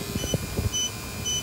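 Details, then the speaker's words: Battery-powered pump's low-battery warning: sharp, high double-pitched beeps about every half second over a quiet room hum, a heartbeat tone that speeds up and gets louder before the battery dies. "so you do get a warning uh a tone a heartbeat a heartbeat speeds up and it gets louder before the battery dies to get your attention if you're nearby"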